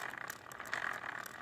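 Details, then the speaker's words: Traxxas Slash 4x4 RC truck: steady rough grinding whir with light rattle and a snagging felt in the driveline, binding near the spur gear and clutch eliminator; rear diff already shimmed with paper inserts, only slightly helping. Cause not confirmed. "I could definitely feel it in the drive lines almost like it snags a little bit in the freezer you could definitely hear that constant grind and binding song"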